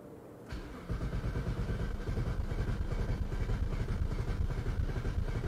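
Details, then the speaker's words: 2010 BMW 535i xDrive E61 wagon with little fuel: long, low cranking with a rough, lumpy catch that won't settle; rail pressure is about half of spec while the cooling fan runs high, likely a failing high-pressure fuel pump. "so here's the rail pressure see what happens when we crank it oh oh oh oh do it well it's doing stuff that rail pressure is still way too low but it is climbing"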